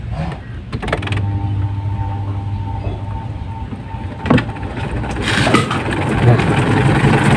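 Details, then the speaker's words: Washing machine spin dryer after fixing a knocking spin, attributed to a loose bolt under the motor or a broken motor mount spring: steady low hum, smooth even fast spin with no knocking; repair successful, now dries properly. "Oke dan ini berasil ya coba kalau bunyinya seperti ini ya halus halus dan putarannya itu kencang sekali ini sudah berhasilah"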